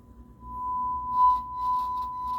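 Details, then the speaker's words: JVC A-X40 integrated amplifier, thrift-store find: steady test tone with crackly, uneven bursts as the volume knob is turned a few times; dirty, scratchy volume pot, though the amplifier works. "Definitely scratchy. But the good news is that it's working, and yeah, that's always a good step."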